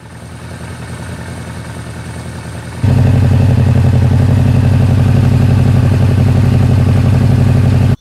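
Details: Suzuki GS750 after air filter upgrade, ignition coil relay mod, valve adjustment and vacuum sync of all four carbs: after a quiet start it settles into a steady, even idle of about four pulses a second, no hunting; carbs balanced, normal idle.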